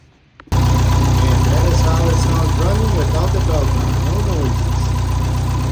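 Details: Jeep whose belt squeak was traced to a cracked power steering pump pulley: smooth, even low idle with a steady pulse and no squeal or chirp; the engine sounds healthy.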